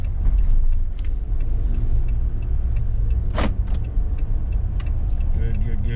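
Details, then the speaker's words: Jeep with larger tires, in-cabin test drive over bumps after a $5 PVC bump-stop mod: low road rumble, one soft thump, no spare tire rattle; before the fix it was pretty bad. "I'm liking little to no sound at all in the cabin from any type of bumps. Before, it was pretty bad."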